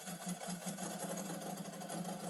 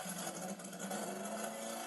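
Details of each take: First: Pygmée F3 racing car, brand-new engine that revs to about 12000 rpm, very first start: rough, uneven buzz with a stuttering beat because not all cylinders are firing; misfire, cause not confirmed. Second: Pygmée F3 racing car, new engine, second start after readjusting ignition advance: steady, loud, screaming buzz at an even speed with no misses or knocks, so it runs cleanly.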